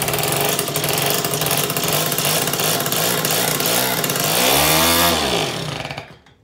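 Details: Suzuki FA50 first startup after a carb clean, primed with fuel into the carb: small two-stroke buzzes steadily, blips up and back cleanly, then shuts off; runs crisp and even, idles better and no longer dies.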